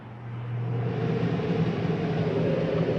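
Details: Flagstaff T21DMHW RV air conditioning kicking on after thermostat set to cool: low hum swells over half a second and settles into a steady, even drone; roof unit starts and runs normally.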